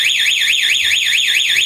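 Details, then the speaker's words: Motorcycle with a homemade 12V 5-pin relay anti-theft alarm switched on while the ignition switch is forced; loud steady warbling tone sweeping about four times a second as the buzzer sounds, all four indicators flash, and the engine won't start. "Lampu sen keempat-empatnya menyala, depan belakang, dan buzzer berbunyi."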